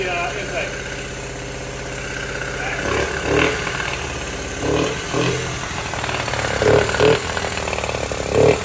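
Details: 1979 Honda Z50R chopper mini bike found stored among snowmobiles; the small single catches and idles unevenly, with sharp pops every second or two. They suspect it is popping out the intake, possibly lean; valve adjustment also considered.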